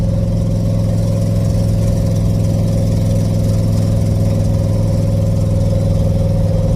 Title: I really should fix that exhaust leak